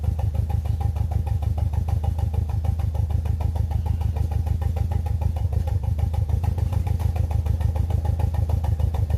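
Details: BMW E46 318i with N42 engine at idle: low, uneven, lumpy idle with a steady rhythmic chuff about three beats a second; misfire from a dead ignition coil, one cylinder out.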